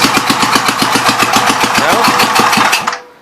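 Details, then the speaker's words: 1952 Gravely Model L walk-behind tractor single-cylinder, warming up, burning oil off cylinder, good oil pressure, no blow-by: uneven faltering firing then abrupt stall; not out of fuel, owner suspects throttle worked down. "It is not running out of gas. I don't know why it shut off there. Throttle must have worked down."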